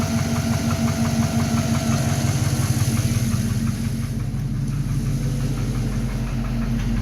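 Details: Engine with only 15,000 km since replacement at idle: steady idle with a light, regular knock about three per second following engine speed; owner suspects piston slap, cause not confirmed.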